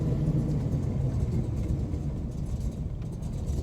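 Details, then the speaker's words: 1995 Camaro Z28 LT1 with head/cam combo, stock bottom end, Turbo 350 trans, long sat, being tuned: low uneven idle sags and nearly stalls, then recovers but stays rough; owner wonders if it's almost out of gas. "oh please don't die on me oh yeah go it almost did I wonder if it's almost out of gas"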